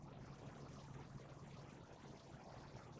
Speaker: You can hear the electronic board just humming a little bit, and it's starting to heat our water.